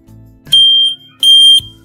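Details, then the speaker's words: Plug-and-play buzzer/indicator tuner on a Royal Enfield, sounding after the ignition is switched on: clear high single-pitch beep in long even pulses about every 0.7 s over a quiet hum; buzzer working normally. "Play में आपको दिखाता हूं ignition की on करने के बाद यह सांड करता है"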